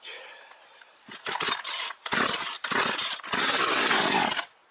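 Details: Partner 351 chainsaw that stalls when choke is removed, after carburetor disassembly: catches in ragged high-pitched bursts that keep cutting out over about three seconds, then dies; carburetor mixture screws then readjusted.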